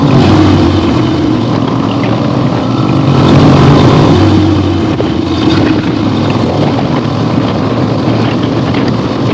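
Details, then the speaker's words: 1975 Harley-Davidson XLH Ironhead Sportster, basically stock, after a full rebuild and being ridden hard on a test ride. A loud, steady V-twin drone under riding load with wind rush, no knocks or misses, and the engine pulls evenly; it is running normally. "Took it out today. The weather was not the greatest, but good enough. Blasted it around. Yeah, very happy with this bike."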